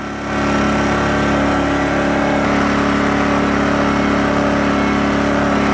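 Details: Sportsman GEN2000i 2200 W inverter generator, economy mode off, running a 10 A (about 1120 W) Skilsaw: engine note steps up as load comes on, then holds a steady even drone; carries the load fine, saw spins up slightly slower than on household current.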